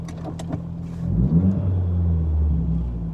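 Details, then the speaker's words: Audi TT, possibly stage one tune with modified intake, turbo and blow-off valve, idling around 1200-1300 rpm even when warm, no check engine light: fast idle with revs swelling and hanging before easing back; high idle, cause unknown. "so I just thought I'd take it for a drive to show you this problem. You can hear the idles fairly high right there."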